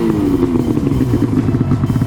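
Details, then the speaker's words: Arctic Cat ZR RR 6000 snowmobile two-stroke after new spark plugs and new exhaust: crisp, even buzz picking up smartly with throttle, no misses or rattles — normal running. "exhaust man she sounds good though sounds good"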